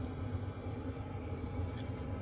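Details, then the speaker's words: Chinese diesel heater in a box heating a tent trailer on a roughly 0 °C Alberta morning, 10 minutes in, fan wide open, full temperature bars: steady, even low roar from blower and burner, no surging, ticking or rattles; normal running at full output. "this is the fan going wide open it's a nice hot air blowing in"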